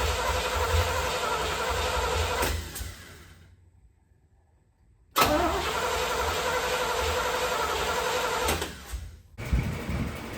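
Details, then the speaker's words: 1972 Corvette C3 small-block Chevy V8, first start after rebuild, attempt two with initial timing only roughly set: it fires and runs rough and lumpy, is shut off, then restarts just as sluggish. Ignition timing way too late. "Go ahead and try it. Go ahead. We're way late on our timing. Turn it off."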